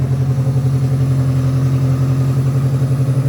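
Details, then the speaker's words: Integra after the vacuum leak repair, with carb cleaner sprayed around the intake: an even, low idle holding steady with a smooth pulse and no rpm change. The vacuum leak is fixed. "it is no longer affecting anything"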